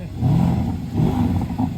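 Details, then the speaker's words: 4-litre AMG V8 car at auction, 101,000 miles, two owners, nine main-dealer services: two clean rev swells rise and fall smoothly with a deep, even note and no knocking or ticking; the engine sounds healthy. "He's driven it. Sounds lovely."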